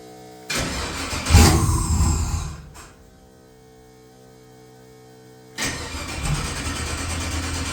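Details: XG ute's first start after converting from carburettor to Holley EFI, O2 sensor added: catches and revs briefly, then stops, then fires again into an uneven idle; hard start; it later fired without throttle once the idle screw was turned up.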